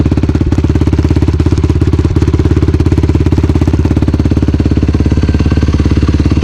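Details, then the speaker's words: 2019 YFZ450R fuel-injected quad, first ride, started with no throttle after the fuel pump prime: catches straight away into a steady, even thumping idle with no knocks or misses. Healthy start. "Oh yeah. Fires right up."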